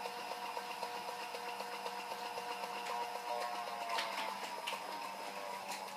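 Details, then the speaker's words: Powerball wrist trainer spinning with a steady whine and a regular light knock about four times a second, from rotor damage after the ball was dropped on the floor. "вот а вторая причина основная это механическое повреждение это если вот шар упал на землю на пол и и чувствует здесь он вызывает такой характерный стук"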